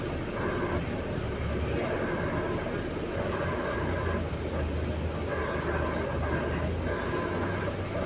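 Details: Stagecoach London North bus SLN 12337 on route 122 while moving: a mid-pitched whirring noise over the driving rumble, coming and going about every 1.5 seconds; source of the weird sound unknown.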